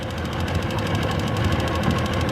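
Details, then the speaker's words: Tohatsu two-stroke outboard after cleaning the dirty primary fuel filter and draining the float bowls: fast even buzzing putter at idle, no misses or stumbles, all cylinders firing; later reached 32 mph. "all right I think we're I think we're working seems to be running great now on all cylinders it's idling"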